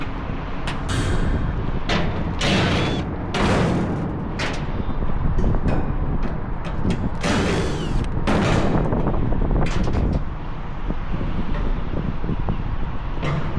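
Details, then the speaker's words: AAON rooftop unit condenser fan motor, 3-phase: loud irregular clattering bursts over the fan roar; the brittle broken rain shield (slinger) has dropped onto the motor housing, mimicking bad bearings; fix is a new rain shield. "Okay, they got another unit that's making a loud racket. And you can see the rain shield is broken."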